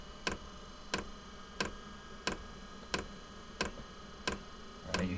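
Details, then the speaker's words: Inexpensive diesel heater in a small workshop during priming and initial startup after glow plug: sharp, evenly spaced ticks about 1.5 per second over a low hum; normal fuel pump ticking, reportedly fading after startup. "it ticking louder and from what I've seen that loud ticking goes away after it finishes this priming and uh initial startup"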